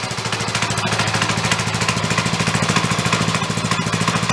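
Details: Old DR power wagon single-cylinder engine, bought crashed and neglected with very dirty oil, now running after cleanup: quick steady thumping of about three firings a second, even and unfaltering; runs clean.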